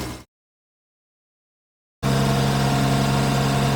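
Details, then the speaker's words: 1970 Jaguar E-Type Series 2, triple carbs, warm after a drive, at hot idle; previously the gauge read zero oil pressure, and now it shows about 40 psi at 3,000 rpm and just under 20 at idle. Smooth, even idle with a steady low hum, no knocks or ticks: healthy engine, issue fixed. "then you don't know how accurate anything is but engine sounds healthy and actually is showing what it's supposed to show so I'd say that's fixed"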